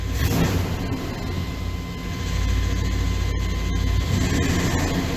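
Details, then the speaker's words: 1995 K1500 4x4 with 5.7 L 350 TBI small-block V8, noise present in Drive and Reverse, gone in Neutral: rough knocking rattle under the engine that grows louder as revs rise toward 1,000 rpm; cracked flexplate, cracked all around the bolt pattern. "so it looks like it increases [Music] with the revs it's a thousand RPMs non-low idle it's just doing his thing getting louder just hanging out"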